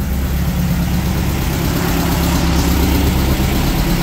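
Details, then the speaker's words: 1600cc VW dune buggy air-cooled flat-four after new spark plugs, an oil change and fixing swapped cylinder 1 and 2 plug wires: a steady, even low chug at idle with no misses, knocks or ticks. It is running clean, with a carburetor rebuild planned next. "so uh sounding great running great heating upgrade next step's gonna be a car rebuild"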